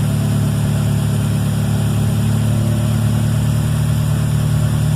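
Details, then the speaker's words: Honda D17 EM2 engine with 315k miles that had been burning oil, idling after an in-car rebuild with new rings and ARP rod bolts: a steady, even low hum with no misses or knocks. It runs better than ever with no smoke. "Man, this thing is running better than ever. No smoke, nothing."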